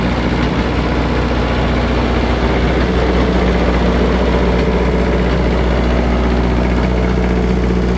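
Steady low diesel idle near three beats a second with uneven puffing; one bad cylinder is blowing heavy oil past and popping.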